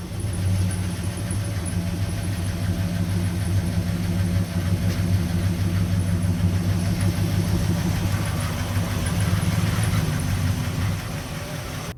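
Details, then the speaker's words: 1969 Chevrolet C10 with a 396 big block that had sat for roughly 20 to 28 years, with timing set and ignition wired. Steady, deep V8 burble holding an even idle throughout, no knocks or misses. Runs well; high mileage, with a big leak noted. "honestly yeah run pretty good I just know it has a lot of miles it"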